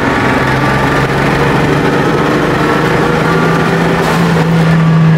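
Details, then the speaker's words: Turbocharged Jeep TJ with check engine light and a likely cylinder 4 misfire code, in third gear under load: loud drone with an uneven stumbling, inconsistent misfire shaking the whole Jeep; owner suspects low fuel pressure. "just like an all around Mist now it's not a consistent oops if you can hear it it's just shaking the whole Jeep starting to think low fuel pressure"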